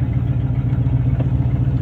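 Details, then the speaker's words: 1994 Chevy 2500, originally 6.5 turbo diesel, swapped to a 1984 7.4 454 gas V8 with a torquier cam; exhaust cut open after the manifolds Y-pipe, no catalytic converter or mufflers; deep, choppy throbbing rumble; loud open exhaust. "now it sounds like a old muscle car the 454 basically just splits into a why after the exhaust manifolds and just it's cut open no catalytic converter no mufflers it connected right now so it's just super loud mean sounded"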